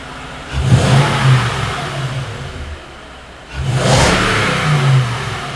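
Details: 2nd-gen Toyota Tundra, just after installing a Magnuson supercharger and first start: a quiet idle, then two clean rev blips that rise and settle smoothly with no misses or rattles. A healthy supercharged V8.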